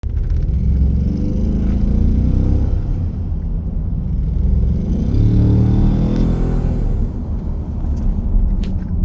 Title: Ecoboost 3.5 exhaust leak sound.